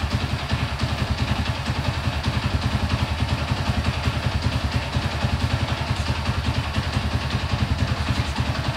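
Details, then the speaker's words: Honda CB100 with a mixed-parts engine, just rebuilt with ignition timing set, first start: even, steady low thumping idle with no knocks or misses, somewhat stable though idle is low. Carburettor may need re-tuning. "Oke ini karena stasionernya Kurang tinggi ya oleh seperti itu suaranya mesinnya nih Sudah sedikit stabil"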